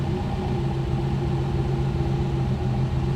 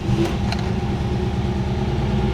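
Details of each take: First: 1969 Mercedes-Benz 280SE (W108) during restoration, idling after first drive: low rumble with a faint uneven sway, the idle not settling (wobbly idle); cause not identified. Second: 1969 Mercedes-Benz 280SE (W108) during restoration, started for its first drive: engine settles into a steady, even low rumble with a couple of light clicks early on; sounds smooth and healthy at idle.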